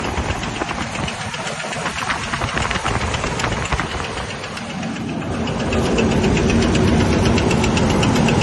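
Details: 2000 Ford Ranger XLT at idle: regular sharp knocking about four per second, getting louder and heavier partway through; internal engine knock, not the crankshaft nor the camshaft.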